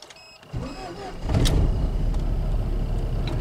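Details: 1998 Jeep Cherokee after no-start/no-spark repair: brief crank catches within about a second and settles to a steady idle; fault was a bad cam sensor swapped from a TJ, replaced with a new one; coil tested good.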